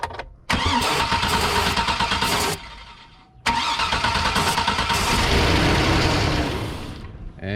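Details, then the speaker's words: 2003 Chevy Suburban 5.3L 2WD, cranked with starting fluid sprayed in: catches and runs rough for a few seconds then fades, showing a fuel issue; fuel pump not priming, pump replacement planned. "our sign right there it is a fuel issue so we have now figured out exactly what it is it is a fuel issue we found out that the fuel pump is not priming"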